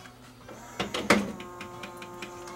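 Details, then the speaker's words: Pioneer CLD-M90 5-CD/LaserDisc player, not playing laser discs: a few mechanical clunks, then a thin motor whirr that never brings the mechanism up properly; slipping drive belt, to be replaced. "see sounds like we have a slipping belt so we need to take this one apart and fix the slipping belt"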